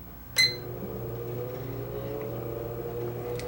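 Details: Breville Smart Convection Oven after the no-heat repair, top elements glowing red hot: a click, then a steady low fan hum with a faint even whir, no grinding; normal convection fan running.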